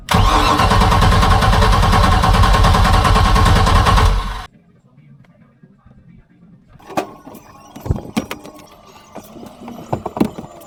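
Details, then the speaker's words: 1978 Sea Ray 24 ft boat with a MerCruiser 383 Mag Stroker that has bad gas and needs a new carburetor, after a backfire fire, being force-fed fuel: loud, even cranking at about 3.5 beats a second for four seconds that never catches. "all right so now I'm just kind of basically Force feeding it with gas to make it run hopefully it primes up the fuel pump"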